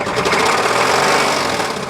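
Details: 1999 Chevy Astro engine revving and accelerating: fast, sharp rhythmic rapping of a worn rod bearing knocking; dipstick glitter test shows metal chunks of crankshaft in the oil.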